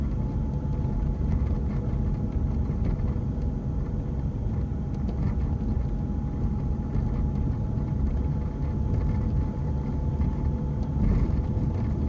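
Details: BMW 1 Series diesel driving in gear: a thin, steady mid-pitched whine over road rumble that disappears with the clutch pressed or out of gear, quieter in 1st and 2nd and loud from 3rd up; suspected gearbox, cause unconfirmed.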